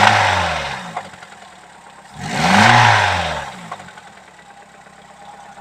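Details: Nissan SR20DE engine knocking since using Eni oil, at start and after warm-up: uneven idle with a rev blip, a dull knock following the revs from the bottom end; bearing shell suspected, not confirmed.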